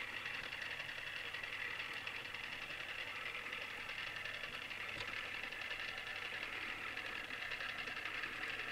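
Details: Newly assembled Tamiya Display Turntable Black on its first test spin at constant speed. A steady high buzzing whir with a fast, even chatter from the gear train. Owner dislikes the noise and may fix it later; cause not found.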